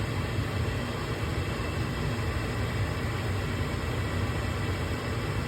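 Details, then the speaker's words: Gas furnace that kept cutting out, powered back on after cleaning the flame sensor: steady, even whooshing hum with a low drone and no rattles or scraping from the inducer motor; normal inducer motor startup. "now we'll plug the power back in here we go we hear it kick on inducer motor goes give it a sec we'll see the igniter light up"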